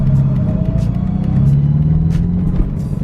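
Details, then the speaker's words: 1986 Mercedes 190E Cosworth petrol engine driving at half throttle or more: hard drone with uneven stumbles and hiccups, bogging down; fine at quarter throttle shifting at 3,500 rpm; cause unconfirmed. "There's the sputtering, you can hear it. You can hear the sputtering real bad there, real bad sputtering."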